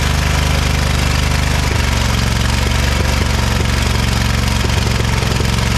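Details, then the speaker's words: Ariens-made Ever Ride Hornet zero-turn, 25 hp Briggs & Stratton, sat outside about a year, first start: low lumpy running with dropped pulses and heavy backfire; owner suspects water, sticking valves, or mouse-chewed plug wire. "well it runs we got a heck of a backfire not sure if maybe it got some water down in there the valves are sticking now or something or what"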